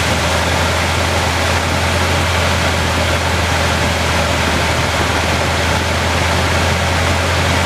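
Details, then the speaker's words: 1976 Chevrolet C20 with a 454 V8, fired up after valve cover gasket replacement to check for leaks: settles into a steady, even idle with a deep low rumble and no ticks or knocks. Normal, healthy idle. "It's back together. And we're going to fire it up and check for leaks."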